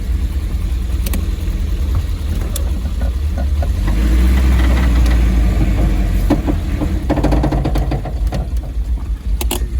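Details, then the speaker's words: Triumph TR7 under restoration, driving in first gear: sharp irregular knocks and clunks over the engine drone; something underneath knocking, but nothing found under the car, cause unclear. "Well, I'm looking for something under the car that could have been making that noise, but I can't see anything."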